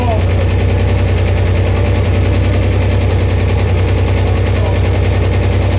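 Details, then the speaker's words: Buick Grand National, freshly built engine's first start, 30-second run to check for leaks; firm even idle with deep steady exhaust pulse, no knocks or ticks; runs clean, down pipe bottom untightened. "basically what I'm gonna do here is start it up let it run for 30 seconds then I'm gonna shut it off and I'm gonna go look for uh any leaks or anything"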